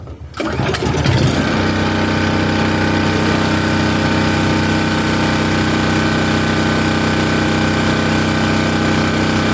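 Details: Champion dual fuel generator on propane, starting after three more pulls: short pull, catch, quick settle into steady, even buzzing run, no surging or missing; normal start and idle.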